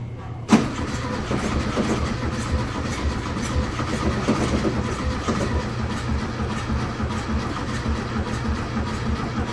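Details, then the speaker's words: 1971 VW Beetle being revived after priming with gasoline: a click, then the engine keeps cranking with an uneven churning rhythm but never fires; fault found in a broken carburettor. "we're fighting this whole time over a carburetor it's freaking two bolts yes not alone by anything we've been fighting a broken carburetor"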